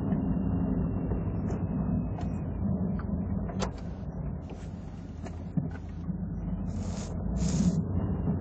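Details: Mazda RX7 FD backing out and driving at low speed: irregular squeaks, creaks and rustling from the rear over low road rumble; Tokico Illumina shocks set on 1/5 suspected of wheezing, with aftermarket pillow balls and very soft Tanabe NF210 springs.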